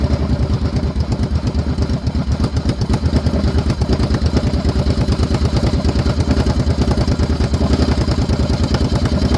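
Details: 2014 Kawasaki Brute Force 750 fuel-injected V-twin ATV, running after a no-start repair. An even, steady idle with a regular low thump and no misses or stumbles. Normal idle.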